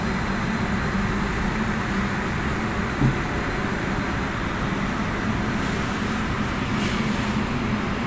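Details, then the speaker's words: Undercounter chiller under repair for abnormal temperature, after refrigerant (freon) recharge while waiting for the temperature to drop, which has begun falling: constant, even compressor rumble with no knocks, rattles or cycling; running normally. "Ini setelah proses pengisian freon, dan menunggu penurunan suhunya. Suhu udah mulai turun."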